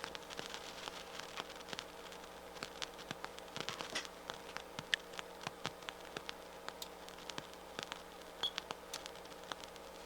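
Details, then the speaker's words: Harman Kardon 730 receiver, right channel through a speaker: constant faint hiss with random pops and crackles that worsen as it warms, while music still plays fine; suspected power supply or power amplifier problem, with a noisy transistor blamed, not confirmed. "you see it's starting to get really start to go to town when it warms up a little bit it looks like it wants to go negative which tells me that it's probably a power supply or power amplifier problem"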